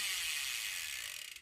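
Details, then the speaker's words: Hope Pro 4 rear MTB hub after freehub bearing replacement, with the missed green washer/seal now refitted: quick, crisp, even ticking that slows and fades as the wheel coasts down. Freehub pawls now engage properly; normal freehub ratchet. "It's what it's supposed to do, but it didn't do that before because of that green washer slash seal that I forgot."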